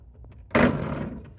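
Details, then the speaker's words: AutoSlide door rack-and-pinion drive with the gear barely engaging the track teeth under too little pressure: quiet motor hum, then one sharp clunk and short rattle as the gear jumps the rack: skipping out of track. "then it's more likely for it to just pop out like that."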